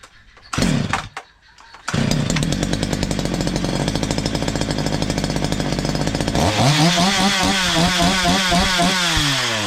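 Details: Stihl MS 230 chainsaw, owner complained of terrible noise, after tightening slightly loose exhaust; starts and holds steady even buzz, revs cleanly up and down, no rattle; only clutch drum washer play remains, normal.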